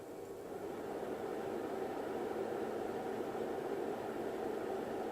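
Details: Rigol DP832 power supply after replacing the stock SUNON 80mm fan with a 92mm Noctua NF-A9 PWM on a 3D-printed 80-to-92mm duct: soft, steady airy hum, no rattle, buzz or ticking; normal quiet fan running.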